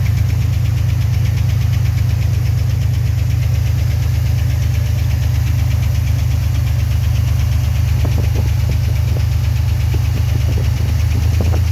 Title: 1990 Chevrolet Cheyenne 4.3 knocking noise